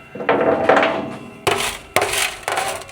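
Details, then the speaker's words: Hot car after stalling while driving, exhaust very hot all the way back: sharp metallic clinks and jingling rattle from exhaust; suspected partially or badly clogged catalytic converter and muffler full of rust or debris from the cat, not confirmed. Exhaust rattle. "You hear all the rattling. Bingo. I think my suspicions may have been right. I think we've got I think we've got a partially clogged up catalytic maybe very clogged up catalytic converter."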